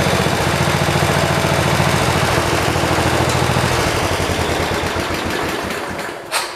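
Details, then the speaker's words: 1973 112 garden tractor after new points, coil, condenser and carburetor, plug wire cracked: steady low thumping about 210 a minute with occasional skipped beats; misfire persists but less, only when the clutch is pushed, runs good without load. "It's still got the miss to it. It's not as bad. It's only when you push the clutch down. When it's got no load on it, it runs good."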